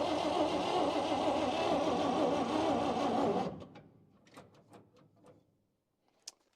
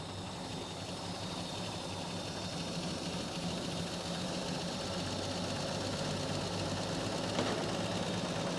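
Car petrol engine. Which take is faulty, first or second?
first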